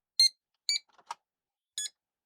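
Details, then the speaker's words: Amiga Chinon FB-354 floppy drive, alignment test speaker: short high chirps about half a second long, one lower and buzzier, changing frequency as tracks switch from 112 to 18; normal alignment test tone. "see, like it had 112 and then back to 18 and the frequency changes."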